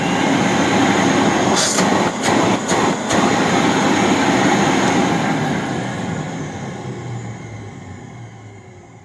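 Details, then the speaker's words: 1997 Rainbow D4C SE canister vacuum motor after bearing rebuild and replacing a failed bearing, drawing 9.8 amps: strong steady whoosh on wind-up and smooth coast-down with no grinding; bearings sound healthy. "Oh, that's so much better. And my current meter said 9.8 amps. So listen to the wind up and of course the wind down."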